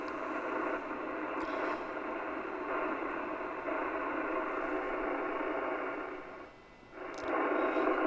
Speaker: but as you can see all those little as they call them birdies are gone